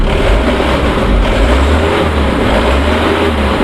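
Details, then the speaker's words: 2013 Mitsubishi Colt Diesel Canter FE73 box truck, about 300,000 km, well maintained with dry engine: steady, even diesel idle with smooth low rumble, no knocks or misses; little exhaust smoke. Healthy normal idle. "Nah, bisa kawan-kawan lihat ya, suaranya garing."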